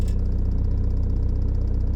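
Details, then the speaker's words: Motorhome van diesel after its injection timing was advanced at the pulley. It starts immediately and idles with a steady, even clatter, about fourteen beats a second, with no misfire, no white smoke and a bit of black smoke: normal idle. "No smoke. Bit of black smoke. No white smoke. No misfire. Started immediately. I think we might have fixed it."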